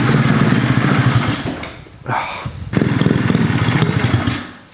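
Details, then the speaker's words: Rotary-swapped Honda QA50 minibike, started after sitting 6 months: rough, uneven note drops out, picks up, then fades away; stalled from fuel starvation because the fuel tap was turned off. "It's not idling. Oh. What's gone wrong? Uh-oh. Did I turn the fuel off? I turned the fuel off before."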